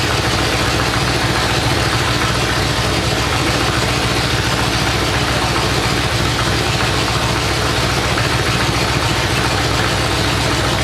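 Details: 427 big-block Chevy on an engine run stand at first fire after a long time unrun, distributor timing adjusted: loud, deep, crackling open-pipe burble at a steady fast even beat, no knock or miss; normal idle.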